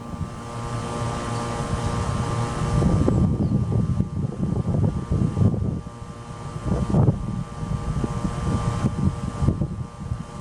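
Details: 1995 Tempstar 5000 central air conditioner with a Copeland reciprocating compressor, first startup of 2024 in its 29th cooling season, 87°F outside. It starts and settles into a steady low hum under the fan whoosh, with no knocking or rattling. Normal startup.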